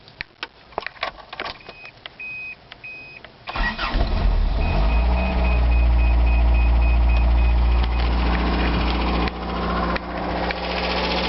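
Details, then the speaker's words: 1982 Toyota pickup with a 22R engine, started and settling into a smooth, steady idle with the rattle gone. Water was leaking near the water pump and the rattle was traced to a bad water pump, not the timing chain. Owner plans to replace the pump. "and the noise is gone that noise had always made it when it that sounds like melty now it just sounds like you're normal 22 our engine"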